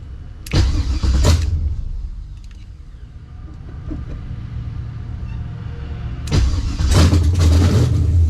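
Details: LS-swapped Monte on a newly set-up ACES Jackpot EFI: it cranks, catches with a deep bark and settles into a loping, uneven big-cam idle; a normal, healthy lumpy cam idle.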